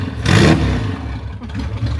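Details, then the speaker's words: Classic Rover Mini Sidewalk, first run after 14 months off the road following engine and suspension work: short sharp rev blip dropping cleanly back to steady idle, no knocks or misses; engine sounds healthy. ">> It sounds awesome."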